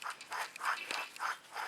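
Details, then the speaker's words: Chevy Trailblazer/GMC Envoy old wheel bearing hub assembly, removed and spun by hand: rough, gritty scraping pulses about three per second; dry wheel bearing, whereas the new assembly spins without this noise. "that is a dry bearing take the new bearing assembly no dry bearing noise"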